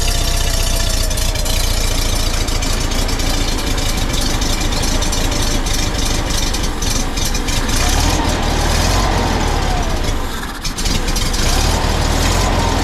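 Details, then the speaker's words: 1952 Volkswagen Beetle split window standard, air-cooled flat-four, running after 40 years sitting once the fuel system was redone, the carburetor cleaned and a stuck valve freed: low, steady chugging idle with an even beat, no misses or knocks; normal. "she's a runner she's a runner that's correct 40 years minimal work redid the fuel system cleaned the carburetor basically basic stop got her running"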